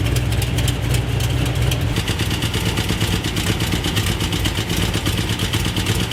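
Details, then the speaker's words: 1973 Road Runner automatic big block, first test drive with exhaust newly fitted: a sharp, fast metallic valve tick over a lumpy V8 idle, judged not bottom end; loose rocker arm nut. "I started hearing like a nasty valve ticking sound whatever I knew it wasn't the bottom end because it was like a fast tick you know"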